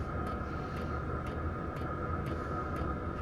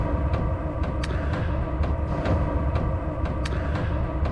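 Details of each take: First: Soft, even fuel-pump ticks about twice a second over a diesel heater's steady fan hum and burner roar, after replacing the loud stock pump with a quieter aftermarket WAYSKA pump; much quieter than before. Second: Diesel heater running while camping: sharp metallic ticks about twice a second from the loud metering fuel pump over a steady low roar, audible all the way up in the tent.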